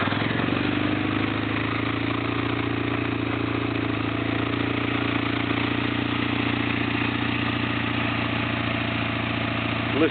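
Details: Restored 1997 Kawasaki 600 Eliminator with 2800 miles, which sat broken for 2 years; even, steady idle with a smooth low pulse around three and a half beats a second and no clatter, healthy running.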